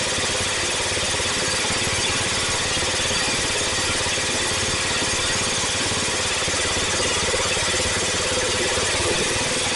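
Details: Cub Cadet Original with single-cylinder Kohler K161 after tune-up (new head gasket, rebuilt carburetor): steady, even single-cylinder thumping with no knocks or misses; normal running.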